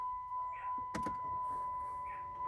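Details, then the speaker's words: 2008 Dodge Charger police car, 108,000 miles, with a newly installed fuel pump, key cycled before starting: a steady, even high-pitched hum with a few handling clunks; the new pump kicks on and primes normally. "Oh, I hear it kick on. Yeah, that's good news."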